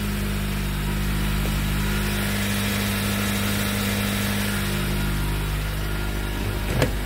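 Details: Dodge Caliber that lost power and stalled on the road, running: smooth, steady idle with even low drone, no ticking, knocking or stumbling; normal idle.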